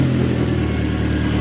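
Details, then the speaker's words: MK4 VW GTI idling after camshaft sensor replacement: steady, even idle hum with smooth low rumble, no ticking or stumble; sounds right. "this is sounding good sounds right bro"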